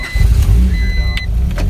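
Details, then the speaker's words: 1992 Honda Prelude after oil pump replacement, exhaust reinstalled, first start before warm-up: deep steady rumble with even beat, no knocking or ticking; normal running. "that's what it's supposed to sound like"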